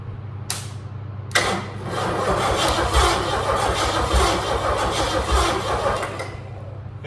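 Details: 1974 Ford Ranchero with a junkyard 351 Cleveland two-barrel V8, out of service since 1993, cranked via a solenoid. The starter turns at about three beats a second but it never catches; no spark to the coil.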